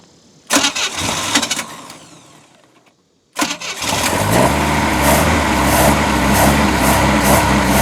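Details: Boat engine first start after a new manifold was installed, run on ear muffs for about 10 minutes. A failed crank, then it runs with an uneven, lumpy beat. Ignition timing is off and the carb needs rebuilding; oil is still water-free.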